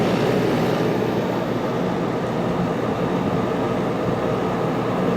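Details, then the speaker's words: 1995 Starcraft Stardust pop-up camper rooftop AC, running after a tripped makeshift breaker, on 220 plug through 110 from the house: steady even whoosh and hum, blowing cool, no knocking or cycling; normal running. "so we got lucky apparently the ac unit is still good"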